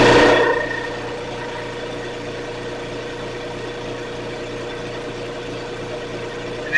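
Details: Air compressor after repair of a slipping motor-pump drive part that had worked loose and made no air: brief start surge, then steady even motor hum at constant pitch, no knocking or slipping, now compressing air; normal running.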